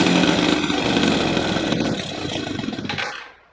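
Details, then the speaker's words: 1978/79 Honda Express moped with a 50cc two-stroke, parked over 20 years, with a leaking float bowl gasket: a busy, rapid buzz that holds steady for a few seconds then dies away. The engine fires and runs. "oh it runs it runs we got it we did it yes yes it runs it runs it"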